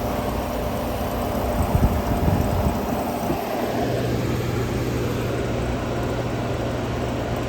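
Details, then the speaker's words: 1959 Welbilt Wall-Slim 2-horsepower heat pump, sat 15 years, switched to low cool: a steady low hum settles in partway through as the compressor kicks on and runs evenly, cooling starts at once; normal compressor start. "All right, let's try the compressor on low cool. Right up. I already hear the refrigerator."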